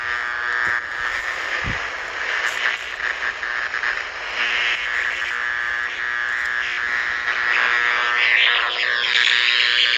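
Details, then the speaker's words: Power-line noise heard on an ICOM R30 communication receiver: raspy high buzz that flutters in and out; owner suspects a bad or loose ground or a lightning arrester, and shaking the ground wire changes it. "I think it's a grounding issue. It's either a grounding issue. It comes and goes."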